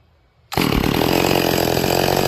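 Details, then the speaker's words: Stihl MS440 with a 28-inch bar, rebuilt with a new bottom end and the carburetor tuned: snaps to a clean, steady high scream in the cut and holds revs without bogging. It is running healthy. "That thing's cutting great."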